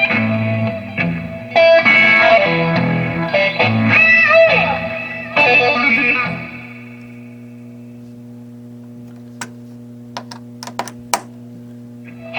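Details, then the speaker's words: 1979 Fender Super Twin Reverb tube amp after input jack repair; clean guitar chords and notes ring out and sustain without crackle, cut-outs or hum; amplifier input working normally. "As you can hear, the amp was back in action. The repair was effective and the input jack was functioning again."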